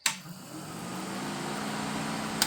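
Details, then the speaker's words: Setup powered through master switch: steady even whir with low hum, no rattle, scrape or wobble; electric cooling fan running normally, quiet water pump beneath it. "you have to listen close the water pump is real quiet let me let that fan die off"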